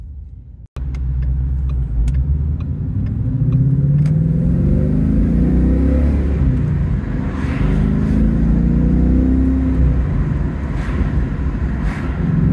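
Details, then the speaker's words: 2016 Ford Mustang 5.0 GT manual (S550), not supercharged, resonated Scorpion exhaust, driving: steady engine rumble with whine climbing as revs rise; this is the normal gearbox whine common to these cars, not a fault. "That whine that you can hear, you may be mistaken in thinking that it's supercharged. It's not. That's actually a common feature of these."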